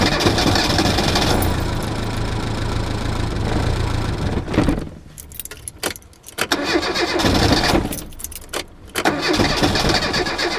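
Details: Reliant Robin in cold weather with an alternator not charging properly and a low battery: the engine cranks loudly for about four seconds, then sputters unevenly, as the low current starves the ignition; the alternator is due for replacement.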